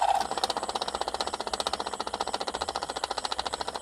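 Rapid, even ticking knocks from a ceiling fan as it coasts, caused by a bearing loose in its seat.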